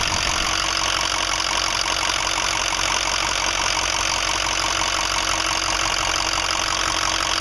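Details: 2005 Ford 6.0L Powerstroke diesel idling with a fast, fairly regular tick-knock around 160 a minute over bright clatter, worsening since 8 reman injectors, new fuel pump, filters and oil change 80-100 miles ago; owner suspects harness, FICM or injector(s), unconfirmed.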